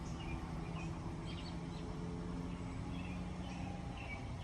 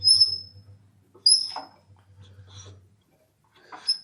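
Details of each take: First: Kohler K181 on a log splitter, after years outdoors, rebuilt with flywheel magnet and fin repair, new points and new carburetor: even, steady low drone at constant speed, no misses or knocks; birds in background. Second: Old Kohler K181 (about 8 hp) engine off a log splitter, left outdoors for years, turned slowly by hand: high thin squeaks once or twice per turn as valves move; owner concerned about weather damage and plans to remove the head to inspect.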